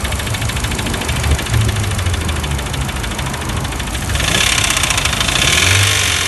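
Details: VW Passat B5 with ATW engine: a fast, sharp ticking knock rides over the idle and continues as the engine revs up; internal knock of unknown origin.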